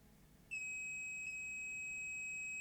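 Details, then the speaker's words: Grundig SVR4004 VCR: desoldered 10 µF 35 V tantalum capacitor gives a steady unbroken continuity beep, about 100 milliohms, failed shorted and blew the fuse; to be replaced with a 10 µF 63 V electrolytic. "and it's very low resistance indeed about 100 and so milliohms"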